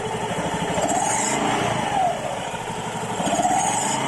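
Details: Honda Vario 110 LED eSP with newly fitted aftermarket double clutch bell (Kartel), light throttle: hiss rising and falling with throttle on initial pull-away; thought characteristic of the part, said to disappear once moving.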